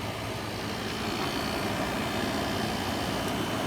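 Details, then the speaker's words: 1986 White Westinghouse 10,500 BTU air conditioner, possibly a Matsushita compressor with a GE fan motor, run off an extension cord: a steady even hum with a constant airy hiss, no clicking or rattling, and the coil frosting; normal compressor running. "i guess compressor's running"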